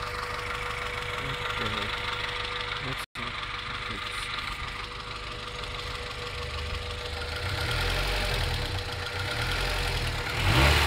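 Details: 1994 Integra GSR at idle: sharp, fairly regular tap about four times a second; owner wonders if rod knock, exhaust leak or valve lash; engine knock or tick, cause unconfirmed.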